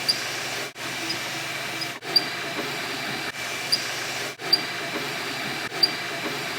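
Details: MakerBot Replicator 2 at 45 print hours: steady hissy motor whir with brief high chirps; dry Z-axis threaded rod and X-axis idler pulley squeaking, fixed by lubrication.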